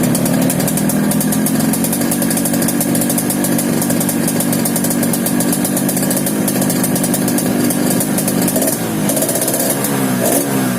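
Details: Yamaha RX King two-stroke running steadily at idle with a raspy snoring rattle over the exhaust note; snoring engine noise, carburetor noted slightly wet, cause not identified.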